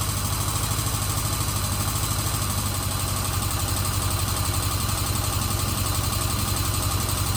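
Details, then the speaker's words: 1977 Kawasaki Z400 after carburettor rebuild fixing vacuum leaks, restarted after cooling with choke about half on: steady, even idle with a regular beat, no hunting or stumbling; running cleanly. "So that's it. She seems to be running okay. I'm pretty happy with that."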